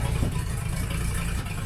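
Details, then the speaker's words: 1976 Ford F250 tow truck, first start-up with complete fuel system, fuel filter visibly holding fuel: slow loping low rumble idling about 600 rpm, needs raising to around 800; idle earlier turned down from 850–1,000 rpm due to flooding. "600 we need to have that up around 8 but before I knew it was flooding turn the idle down cuz it was running up like 850 or about 1,000 actually"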